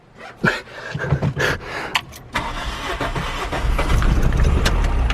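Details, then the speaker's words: Stock Toyota Starlet with a cheap head gasket, injector plug already off: uneven, lopsided cranking before it catches and runs rough; low compression from a head gasket blown between cylinders. "listen to that, you can already hear it's low on comp."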